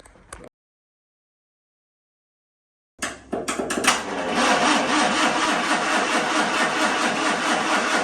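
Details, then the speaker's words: 1963 Humber Sceptre, positive earth, stood seven years: steady, even cranking at about two turns per second with no firing. It winds over and gets fuel but has no spark. Crank, no start. "Well, you know it turns over anyway. I don't think we're getting a spark."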